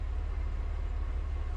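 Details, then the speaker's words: Alfa Romeo Spider engine first start after months unused: low, steady idle with evenly spaced firing pulses, no knock or tick, no oil starvation; normal smooth idle. "You hear how it's just so smooth, this engine. It hasn't started in months and months and months."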